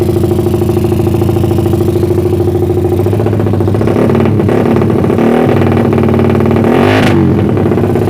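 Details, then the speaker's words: Suzuki Satria FU bored to about 177cc, lowered compression, unshifted cam duration, PWK carburetor with 50 pilot and 150 main jet, silencer packed with glasswool: loud unbroken helicopter-like drone blipping up and down cleanly without misfires; runs healthy. "Satria FU 177cc lebih si menurut saya ini suaranya mirip helikopter yalur merek helikopter nggak putus-putus"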